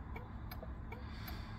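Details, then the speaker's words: Triumph Stag indicator flasher after a resonator was fitted to make it louder: crisp steady ticks about every 0.4 s over a low rumble, now clearly audible; fix successful. "let's have a listen and see if we've got a bit of a louder indicator sound oh yeah we do yeah that's much better can actually hear it"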